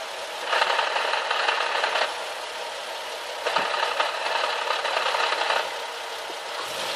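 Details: Nissan 370Z at idle after first drive following a JWT flywheel and clutch kit install: uneven bursts of dry metallic rattle every few seconds, greatly increased over before; transmission gear rattle suspected, not confirmed.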